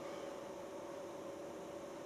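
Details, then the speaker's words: New self-contained Chinese diesel heater on startup, set to 35; steady fan whoosh and faint hum with no pump ticking or combustion yet, a normal pre-purge pushing cool air before fuel burns. "The fan's starting to spool up now. These two here also control the temperature. Turn the temperature up or down. Turn it to 35, nice and warm. Push some cool air out because obviously it's not burning any fuel yet."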